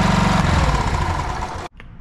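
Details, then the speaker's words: Small single-cylinder outboard after a new fuel pump (the old one was suspected of a bad diaphragm) and another carb clean. Started with a little choke, it putters steadily and evenly with no stumbling; normal running. "all right with that new fuel pump and another carb clean I finally got it dialed in fired up for you guys give it a little choke"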